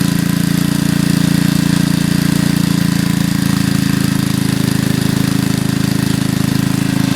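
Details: 40-year-old Briggs and Stratton single after repair, air cleaner off, checking for a leak: steady, even chug with firm low beat and no knocks, misses or squeals; runs healthy.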